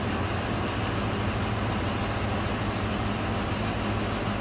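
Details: 2004 Dodge Ram 1500 4.7 V8, running rough at idle with a P0304 cylinder 4 misfire, low rumble, uneven beat and a right-bank valvetrain tick. Oil was low and dirty; the cam follower had come out of cylinder 4 exhaust, likely from a collapsed lifter.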